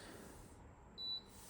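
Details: Vollara Air & Surface Pro air purifier, four years of 24/7 commercial office use since 2020, dirty and overdue for service: a single short high chirp about a fifth of a second over a quiet room, the normal power-on confirmation beep.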